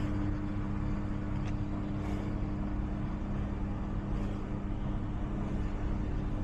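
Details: Samsung front-load washer on spin: deep steady rumble with a heavy thump about every two seconds as the drum turns, a broken spider arm letting the drum bang; fix is spider arm replacement.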